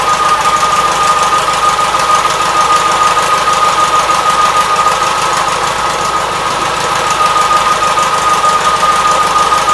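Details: 1976 Gravely 816 single-cylinder engine in a steady, even chug at constant speed with a faint high note on top and no stumbles, after a missing fuse and jammed fuse-holder wire were found; normal running.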